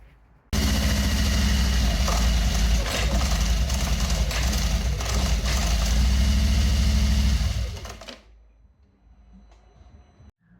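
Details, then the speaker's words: Harley-Davidson Milwaukee-Eight with the primary cover off, clutch let out: loud mechanical clatter over a lumpy V-twin run; chain, gears and clutch basket look fine, and the noise is suspected to come from an overdue primary fluid change. "most likely the noise we're hearing is probably from lack of fluid change."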